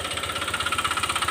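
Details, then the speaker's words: Honda Click 125 (likely newest keyless model), 160,000 km, panels removed, idling with light throttle blips: sharp evenly spaced metallic knock at about twelve a second tracking engine speed, worn connecting rod knocking. "นะเสียงนะถ้าสมมุติว่าเราอยากว่าเราอยากฟังเสียงว่ามันเป็นเสียงอะไรเราต้องเบิ้ลหน่อยๆเบิ้ลแบบนี้นะนี่นะเบิ้ลเล็กๆนะเสียงก้านด้านในมันเขกนะครับ"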